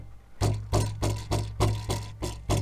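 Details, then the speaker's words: Mercedes-Benz rear deck rattle when hitting bumps: sharp hollow clacks about every third of a second from a loose metal ball in the rear centre seat belt retractor; the belt still works, and wrapping the outside with sound deadening reduces the noise. "that noise that rattle hand noise is happening from the center seat belt belt bearing right here"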